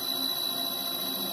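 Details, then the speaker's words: LG three-phase BLDC direct-drive washing machine motor driven by a TECO-Westinghouse L510 VFD, 120 V in/220 V out, at about 350 Hz: steady, high, pure singing tone at the motor's resonant frequency, its most efficient point; normal VFD motor whine. "you can hear it singing that's a resonant frequency for this motor at this voltage so that's actually the most efficient you know that this motor is going to run"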